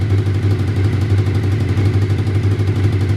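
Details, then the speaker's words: Honda VFR750F RC36 motorcycle idling: deep uneven chuff with rhythmic puffing pop about three a second, blowing from the front part of the exhaust system despite the end can; exhaust leak. "Although it's got this end can, it's definitely a blowing coming out of the front part. You can just hear that sort of popping sound."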